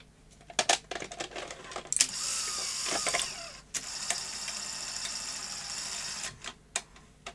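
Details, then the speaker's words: Sony SL-HF100 Beta HiFi video recorder after repair and reassembly of the loading gear mechanism; clicks and clacks, steady whirring motor and a final clunk as tape laces smoothly, no grinding or slipping; machine fully working. "and eject excellent well Everyone likes a nice beta Hi-Fi video recorder so I'm glad that's been brought back to life"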